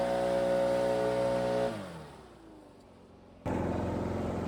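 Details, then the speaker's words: Stihl two-stroke backpack blower that bogged at full throttle, after turning the high-speed carb screw out in quarter turns: steady high scream falls away when the throttle closes, then snaps straight back up without stumbling; clean throttle response restored. "There you go. That was it."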